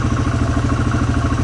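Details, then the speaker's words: Polaris Hawkeye 4X4 started after sitting 10 months, idling on choke held just off idle while warming, oil unchecked: fast even clatter over steady slightly raised idle, light knocking from the clutch. "I don't know if you can hear it, that little knocking in there. That is the sound of the clutch."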